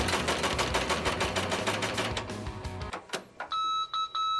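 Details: Embroidery machine run with thread removed from the tension knob's pressure plate: fast uneven stitching clatter that chokes off abruptly into beeping as a bird's nest thread jam locks the hoop in place.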